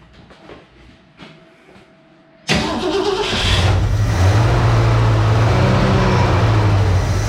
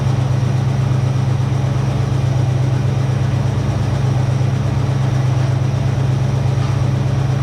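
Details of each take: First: 1966 Ford Mustang 2+2 fastback, 82,000 miles, sat for years, first start after fuel pump replacement with empty fuel lines: quiet cranking, then catches into a rough, lumpy idle while the lines fill. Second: 1966 Ford Mustang 2+2 fastback with 82,000 miles, sitting for years, running after replacing a leaky fuel pump. A deep, even V8 burble holding a steady lope with no misses or knocks: idles cleanly, "starting to sound better."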